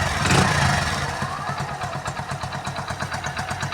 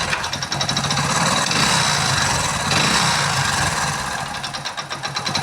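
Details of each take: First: Hero Splendor single-cylinder motorcycle after full engine rebuild with piston rings fitted (previously knocking, smoking, oil neglected); steady even putter at idle, no knocks or rattles, healthy. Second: Hero Splendor motorcycle before full engine repair, service neglected, almost no engine oil left: harsh metallic clatter and rattling ticks over a rough, uneven run; oil-starved engine with badly worn internals.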